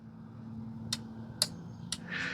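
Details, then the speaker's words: John Deere zero-turn with no-start, no-click electrical faults: relay on a battery-powered tester clicks crisply about every half second, pulling in and dropping out cleanly near the mic; relay is good. "and if you can hear it see you hear it there by the mic it just flicks it on and off it tells you that is good"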